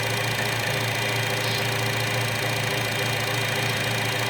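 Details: 2012 Chevy Cruze 1.4 liter with valve cover vacuum leak running rich (short-term fuel trim 35%), leak plugged by thumb: even, steady idle with no hunting or stumble once sealed; new valve cover was the fix.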